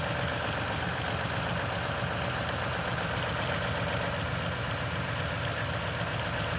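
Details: 2010 Toyota Tundra, 165k miles, 5,500-mile oil changes: cold idle with a fast, uneven rattle about four per second over the engine drone; suspected timing chain noise, unconfirmed.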